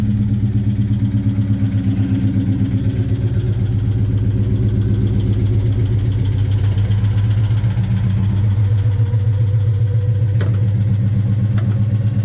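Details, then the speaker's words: 2003 Mustang Cobra (Terminator) V8 project car, just started: lumpy, uneven idle with a low, steady pulsing stumble that never smooths out; really bad misfire, owner's best guess is something in the bottom end. "Let's fire this thing up real quick, so you can hear the shenanigans that is the engine noise. It's got a really bad misfire."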